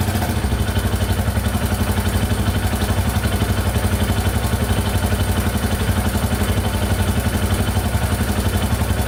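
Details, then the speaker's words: 2001 Yamaha Warrior 350 after adjusting a very loose exhaust valve: single idles thumping about four per second, top-end ticking gone, but a light metallic rattle remains by the timing chain; owner suspects the timing chain and will tear it down. "alright so the ticking in the top end went away but i can still hear it a little bit by the timing chain so we're just gonna tear it all apart and take a look"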